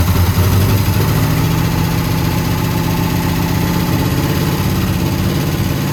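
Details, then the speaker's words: 1971 International 1210 pickup, abandoned for 30 years, started on a jumped battery: it runs fast and rough with a steady low roar and never drops to a slow idle, because the throttle cable is too short for the carburettor. "we figured out why it was i like revving so high the throttle cable is too short for this carb so we just got to adjust it"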